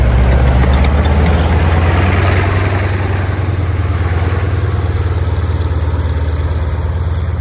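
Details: 1943 M4A1 Sherman tank nine-cylinder radial idling just after start, out of gear, oil pressure coming up: deep, steady low rumble with even firing pulses, no knocks or misses; normal idle.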